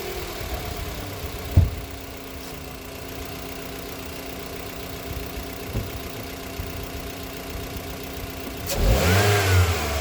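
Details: 2024 Mitsubishi Xpander GLS, previously would not start, after battery terminals reconnected: catches cleanly after a brief crank, steady even idle, then a quick smooth rev; normal start and idle.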